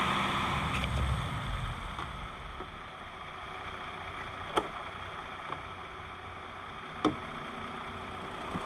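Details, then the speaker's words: 2020 Jeep Gladiator Rubicon, 6-speed manual, 62k miles, warmed up, engine bay: smooth, even idle with only light injector clicking and no ticking or knocking; normal idle. "And it's nice and quiet. The only The only ticking you hear is the injectors. I can hear those clicking."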